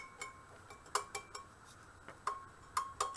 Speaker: Yep, I'm listening for that tone.